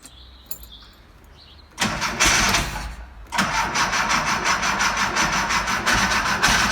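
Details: VW Type 25 (T25) van being rebuilt, cold-start problem of slow cranking, after a battery and battery earth replacement: a brisk crank of about a second, then it catches and settles into a steady, even idle; starts and runs fine.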